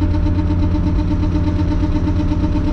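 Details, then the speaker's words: MK3 Jetta VR6 while rolling: loud rhythmic knocking and grinding, unchanged with the clutch in, louder near home and heard while braking; a loose brake caliper bolt. "that's really loud what is that it's not the transmission because when i clutch in that doesn't change anything"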